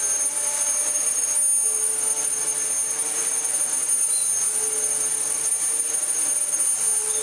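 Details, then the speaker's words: Dyson DC14 Telescope Reach vacuum after replacing the aftermarket non-clutched brush roll with a good used one: even high motor whine over steady airflow rush, no rattles, surging or scraping; normal running. "And yeah, we have ourselves a very nice working Dyson DC14 now."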